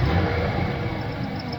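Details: 1995+ Ford Ranger 3.0 V6, engine running: faint quick high chirps ("death chirp"), not belt/tensioner/idler; worn cam synchronizer bushings let inner shaft wobble and contact; risks seizing and oil pump driveshaft failure; gone after OEM Motorcraft cam sync replacement.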